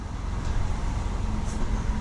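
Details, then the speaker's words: 2011 Toyota Camry that had very low rpm and stalled, in Drive after cleaning the throttle body: low, even idle hum around 600–700 rpm with no dips, surges or stumbling; normal idle restored. "close to like about 600 700 which is normal so if you have a car that stalls that's the issue"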